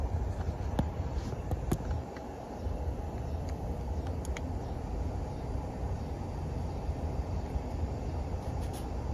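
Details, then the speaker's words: Central AC on a no-cooling call, testing the float switch found removed from the drain pan; outdoor condenser keeps a steady low hum with faint clicks; normal running. "I'm going to see if this unit cuts off. It sounds like the outdoor unit's still running."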